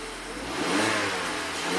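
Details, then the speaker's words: 2016 Mazda CX5 after a repeat P0012 fix, the stuck-retarded electric VVT intake cam phaser freed by hand and codes cleared: a short clean rev rising and falling smoothly, no knocks or ticks, sounding happy with no DTCs. "And let's start it. And just make sure that our cam shaft is phasing."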